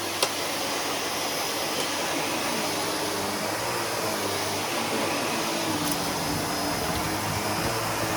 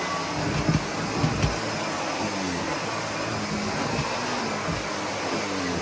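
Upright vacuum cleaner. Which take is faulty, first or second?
second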